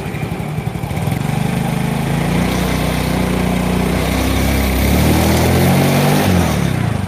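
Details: Yamaha Mio J fuel-injected scooter, now running a borrowed replacement injector: engine picks up cleanly and holds a strong, even rev with no stumble or hesitation; normal revving.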